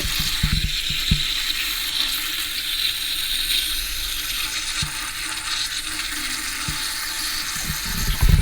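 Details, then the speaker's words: Toto toilet running again a few minutes after a refill test: continuous hissing trickle of water that never shuts off as the tank keeps refilling. Owner suspects the fill valve filter needs flipping or tightening; cause not yet confirmed. "so now we see where the leak is coming from, or where the water noise is coming from."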